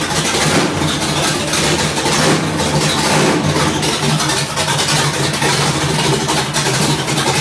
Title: Rough idle third gen